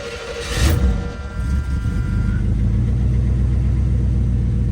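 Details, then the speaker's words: 1978 Pontiac Bonneville Landau with Pontiac 350 V8, all original, one owner, 61,000 miles: short crank, catches and settles into steady deep V8 rumble with no knocks or misses; normal cold start and idle. "So I'm gonna give it a try to crank it up, and all of this stuff still works."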